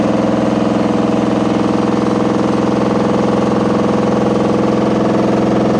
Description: Sounds like we have a load of bricks in.